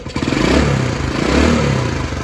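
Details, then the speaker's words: 1979 Honda CT90 Trail 90 fired on the first kick with the choke on, carb leaking and not yet rebuilt, then choke turned off: small single settles into a quick, even putter with a slight rev, no knocks or rattles; running healthy. "that sounds good and I did check the oil holy smokes wow that's amazing I got to say I am in shock myself this thing fired right up I turned the choke off sounds good"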